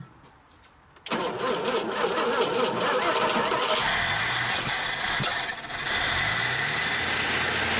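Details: 1961 Dodge Lancer, Chrysler 225 six, first start in 30 years after fixing a rubbing fault: starter whirs a second, engine fires and settles into a fairly steady idle with a couple of blips; running good.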